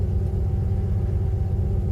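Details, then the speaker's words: 1995 Jeep Grand Cherokee 5.2 V8, previously hard-starting below 35°F with 1200 rpm high idle, after Seafoam and throttle body cleaning: starts right up at 22°F, deep steady cold idle, even beat, no misses or knocks. "Well, it cranked right up this morning. It's 22 degrees."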